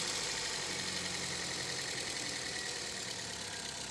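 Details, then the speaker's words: Toyota Vios after engine overhaul (oil-starved engine), first start after camshaft reinstalled and timing set: smooth steady idle with even valvetrain and belt hiss, no knock or tapping; very quiet, healthy. "Tahimik na tahimik ah. Parang natsambahan."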